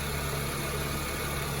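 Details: 2006-2011 Honda Civic 1.8 L, charging at 14.2 V: smooth, even idle with steady low hum, no knocks or whine; engine sounds healthy.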